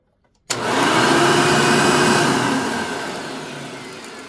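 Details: Genuine Hoover vacuum, reasonably cared for, 99.9% microfiltration bag: motor starts sharply, settles into smooth even whir, no rattle or labouring; healthy, needs only cleaning and a belt, likely stretched, brush roll dragging on carpet.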